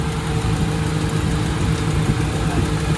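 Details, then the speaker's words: 2000 Honda City manual with unstable idle, after distributor timing adjustment: steady even idle with smooth low drone, shaking gone, idle lower; exhaust still pops slightly but no misfire. "Yun swabe. Pero yung tambotso may ano pa rin. Pero hindi naman siya palyado. Nawala na yung gigil."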